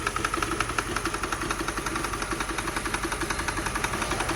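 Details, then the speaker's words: 2006 Mercedes CLS 500 just running after fuel pump work: rough uneven idle with irregular pops and dropouts about three per second, misfire plus knocking; oil burning off. "definitely it's a misfire a whole lot of light a whole lot of pop blocking dropping going on up in here"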